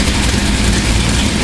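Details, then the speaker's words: Freshly built 350 V8 for a 1978 Corvette, warm (about 175°F): deep, slightly choppy even loping idle at 950-1,000 rpm from a big cam, 70-75 psi oil, about 7 inHg vacuum, no knocks; healthy. "all that just fires right up B Frain tight and quiet here it's got a nice size cam in it right on about 950 to 1,000"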